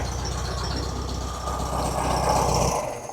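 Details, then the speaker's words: Classic 1970 VW Beetle air-cooled carbureted engine at idle after cold start: even, steady chuff with regular beat before shutdown, no knocking; engine healthy, earlier suspected rod knock gone. "It fires right up, and it's been running great. And no knock."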